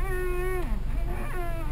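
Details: 2002 Toyota Camry: high whine-like squeak sliding in pitch as the steering wheel turns; the owner is unsure whether the cause is the steering column, rack and pinion or pump; power steering squeak.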